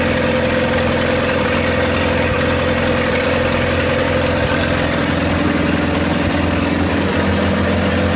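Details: 1928 Farmall Regular tractor idling after carburetor tweaks, just started with timing advanced about halfway: even, steady low thrum about three and a half beats a second, no misses or knocks; healthy normal idle.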